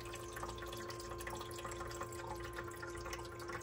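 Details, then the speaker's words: Frigidaire EFIC117-SS ice maker, powered up on the bench during repair: steady low pump hum with water trickling into the tray; pump now working and flowing. "It sounds like it's working now."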